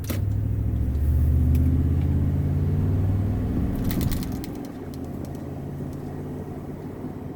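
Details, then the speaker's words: 2018 Toyota Tundra: deep, even engine rumble swells under throttle and eases off with no whistle or hiss, after the mesh ring was removed from the throttle body gasket; the intake whistle is gone. "Oh yeah, it sounds super clean. I don't hear anything, guys."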